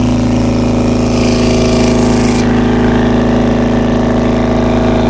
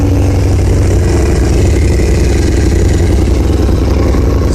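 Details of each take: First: 2000 Honda CBR600 carbureted motorcycle with slow starting and poor throttle response; fast, slightly uneven high idle that won't settle, carb cleaner shows all four carburetor boots leaking, to be replaced. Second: 2000 Honda CBR600 carbureted motorcycle idling low and steady, about 1,000 rpm, with an even exhaust pulse and no stumbling, after fixing leaking carburetor intake boots (vacuum leak) that had caused poor throttle response and hard starting.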